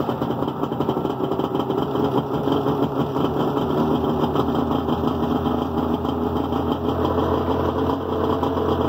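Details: Tigershark PWC two-stroke after replacing the engine-to-driveshaft rubber coupler with a machined Yamaha coupler: busy idle, steady and even with no clunking from the driveline; runs normally.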